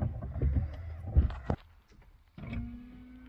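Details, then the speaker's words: Citroën C4 Picasso washer pump that wasn't working, after replacing the 10 A fuse: following some handling thumps, the pump starts with a steady, even buzzing hum, front and rear. Washer pump running normally. "Et là on entend le bruit de moteur, pompe, en gros, pompe essuie-glace."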